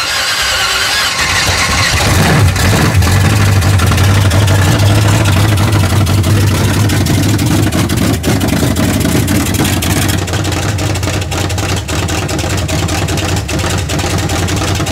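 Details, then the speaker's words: Camaro at first fire-up, still untuned: deep uneven burble around three pulses a second, beat stumbling and irregular. New plugs helped only slightly. Old distributor suspected, MSD ignition planned. Rough running, erratic ignition. "new plugs helped a little bit but it still got an erratic ignition"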